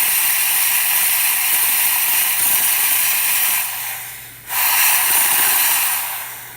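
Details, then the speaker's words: Isomac Millenium espresso machine after full service, boiler pressure set near 1.5 bar, steam wand opened: strong, even hiss with faint low hum, brief drop near four seconds, then full flow; steam delivering properly. "All right, let's turn it around. Get the steam cooking."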